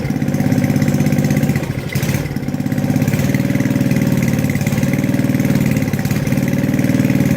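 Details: Tecumseh 4hp engine on an Estate snowblower, just after a carb rebuild with a makeshift governor fix: steady single-cylinder chug with an occasional mild governor hunt, otherwise even. Normal running restored.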